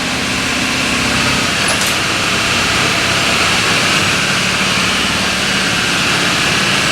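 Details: Bronco V8 with Holley Sniper EFI, just repaired after shaking, with fresh oil, new belts and a new torqued damper replacing the cracked one: a loud, steady idle with a hissy top end and no knocking or uneven beat. It is settling in normally.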